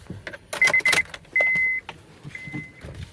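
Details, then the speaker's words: 2009 Honda Odyssey, only driver's window had worked; after swapping in a used master window switch with the same part number, three short runs of steady window motor whine, each ending cleanly with a clunk. Windows now work normally. "hey windows work okay"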